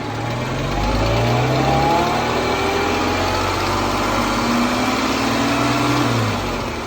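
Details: 2014 Jeep Wrangler 3.6 Pentastar revving and settling with a light, fast tick that follows the revs; owner asks whether rocker arm or valve tick, valve train suspected, unconfirmed.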